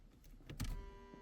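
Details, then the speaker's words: 1982 Pontiac Trans Am (Crossfire Injection), abandoned 30 years, new fuel pump and fuel lines fitted: with the key on, a soft click then a steady electric hum as the pump primes normally. "I can hear the fuel [Music] pump."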